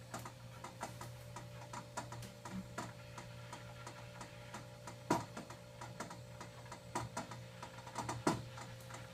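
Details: Arrowhead water cooler, one week old: steady low hum with irregular sharp ticks, clicks and a few louder snaps when it turns on and runs.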